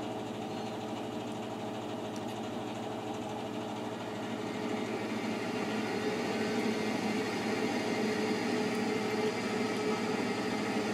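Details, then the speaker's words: Exhaust draft blower just switching on during the season's first start of a newer, side-vented boiler only a few years old: soft steady hum with a faint even whir, no rattles or scraping; normal draft blower running. "And the draft blower just turned on for the exhaust."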